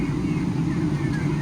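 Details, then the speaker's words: 10-year-old Shenandoah box heater on a commercial turkey farm, after inspection and repair: burner lights and holds a steady even low roar from burner and blower without sputtering, running normally and blowing hot air. "there we go he all right we got flame yeah so if it'll stay lit and it"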